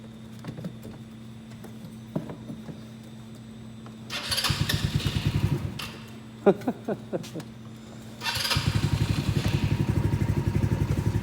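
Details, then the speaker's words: 2017 Ace 150 single-cylinder engine started after an oil change and run to refill the filter and check for leaks: short cranking bursts, then a fast, regular putter with no knocks or rattles; healthy start and idle. "Now let's start it up and let it run for a few minutes. Okay. Make sure nothing's leaking."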